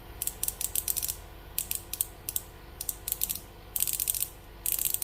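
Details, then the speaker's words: Daiwa Tatula SV TW 8.1 baitcast reel after fitting a plug-and-play metal drag clicker with original carbon drag; spring can be set stronger for louder clicks. Crisp, rapid ratcheting bursts as line is pulled, even and consistent; normal drag clicker. "Biasalah macam ni. Kalau nak dia kuat sikit, kita akan turunkan sikit."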